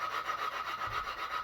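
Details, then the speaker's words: Honda engine that sat four years, valve being lapped with compound and a suction tool and turned about 90° between strokes: a gritty rasping grind in even back-and-forth strokes, loud because the seat is not yet mated; it should go quiet once lapped. "and notice how loud that is how it gets quiet that's what we want we'll spin it like 90. and you'll grind it and then you'll spin it again and you'll grind it"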